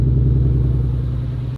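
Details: Nissan 350Z Nismo V6: a deep, lumpy rumble with a steady pulse, chugging like a tractor. Engine misfire.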